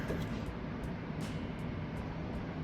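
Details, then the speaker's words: Engine that shakes badly on startup, running rough with a heavy, regular knock about three times a second; mechanic is pretty sure a piston has broken and partly tried to leave the engine, suspected, not confirmed. "I'm going to have some bad news for you. Pretty sure one of your pistons decided to try and make its leave from the engine. Didn't make it all the way out, though."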